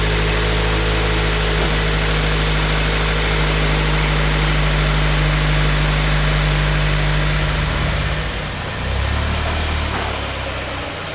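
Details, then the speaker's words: Turbo Scion FR-S at idle after fitting an aftermarket idler pulley kit, replacing worn idler pulleys, following a previous thrown, chewed-up accessory belt; steady low idle hum, no belt squeal or chirp, water pump working; normal idle. "all right so i think it's safe to say that the belt is uh working since the water pump appears to still be functioning at this moment and i don't smell any of the horrible smells i smelled when we burnt it up the last time or hear it literally self-destructing in the engine bay"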